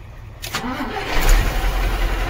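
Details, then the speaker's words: Mercedes-Benz checked for a starting problem, fitted with a different battery: short crank, then the engine catches within half a second and settles into a steady, even idle; starts normally, so the battery was the issue. "देखो गाड़ी start हो गया। तो अभी हो गया, battery सही हो गया गाड़ी।"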